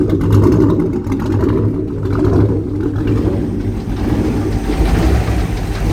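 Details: Jersey Skiff JS39 17ft Bender boat, inboard 350ci V8 of about 400hp with Edelbrock aluminium heads, upgraded cam and Holley 600cfm carb, running on shore water after a 2-year rest; deep steady rumble swelling gently with throttle, no knocks or misses, healthy.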